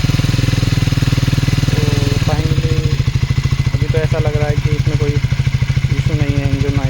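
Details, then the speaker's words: Triumph Speed 400 after a dealer fix for engine noise (shim issue), started after sitting a long time; steady, even low thump at idle, the earlier noise gone, no ticking or rattle: normal idle. "ये तो इजन से तो कोई मा को नहीं लग रहा मुझे आवाज तो सही लग रही [संगीत] है पहले जो ल करने से की आवाज आ रही थी व नहीं आ रही"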